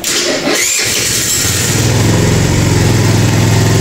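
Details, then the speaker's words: Kuba Valentino 50cc scooter after engine rebuild: starter whirs, engine catches on the first press and settles into a steady, even idle with no abnormal noise. "bakın ne ses var ne Seda var çiçek gibi Tek marşta çalıştı gördünüz mü"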